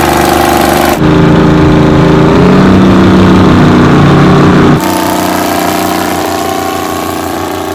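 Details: 60-year-old Massey Ferguson 98 tractor with Detroit Diesel GM 3-71 two-stroke after restoration: catches after a second and settles into steady, even, buzzy drone with no knocks or misses; healthy.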